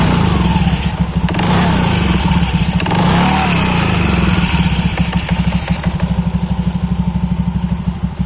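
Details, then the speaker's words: Honda KOJ-series scooter (Beat, Scoopy, Genio), CVT cover off: quiet at idle, but when revved a faint mouse-like squeak sweeps in pitch; the squeal comes from the worn clutch bell rubbing on the clutch shoes. "Ini kalau lagi idle atau langsam gini ini nggak terlalu kedengeran ya, tapi kalau begitu digas itu bakal bunyi kayak suara tikus, bunyi cicit cicit."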